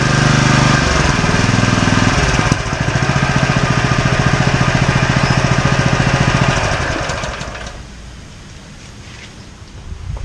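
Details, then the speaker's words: Fire pump engine test-run after reassembly, no water load; it had earlier leaked water, smoked badly, had milky oil and would not start: a steady, even single-cylinder beat with no misses, then a clean shutdown. "Right, let's get this thing fired up and just give it a quick test run."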